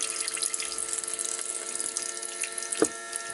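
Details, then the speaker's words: Kawasaki GTR1400 fuel pump run on a bench test rig with its injectors, after the bike sat about a year and won't start; steady high hiss and splashing with a thin electric whine, the pump racing on water instead of petrol. "It's just water. That isn't it? The faintest h whiff the faintest whiff of petrol. But it's just water. That sounds like the pump's going crazy."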